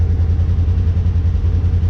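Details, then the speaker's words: Polaris General XP 1000 after thermostat replacement for overheating, warm at idle with the cooling fan on (kicked on at 194°F, temp dropping to 189); deep, steady low hum with an even pulse, no irregular noises, so the new thermostat works. "It just, even though the fan is running, you can hear that, or nah, you can't see it, but the fan's running, the temp is dropping,"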